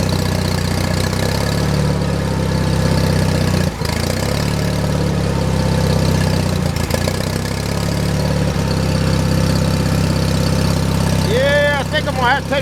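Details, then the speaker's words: John Deere 316 lawn tractor, about 36°F cold day, hand-choked: low thumping idle stumbles and dips every few seconds; owner suspects clogged carburetor idle circuit jet, or just cold. Rough idle. "see if I can take that choke off yeah I think the idle circuit JS clogged I'm just choking it with my hand that's all or maybe it's real cold d"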